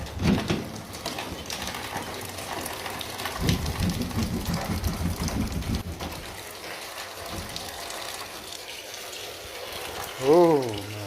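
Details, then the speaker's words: Steady, rain-like hiss of water spraying from a large pinhole leak in a copper supply line behind removed drywall in a high-rise condominium. "So once I got the drywall out of the way, it was pretty obvious where this leak was coming from. I could hear it hissing really bad."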